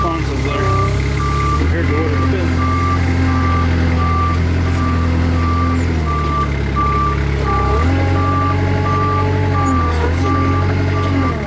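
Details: Kubota 520 hydrostatic wheel loader after swapping the forward and reverse relief valves: steady diesel drone rises and falls smoothly with load under the reverse alarm. Reverse now drives responsively, and forward hits relief.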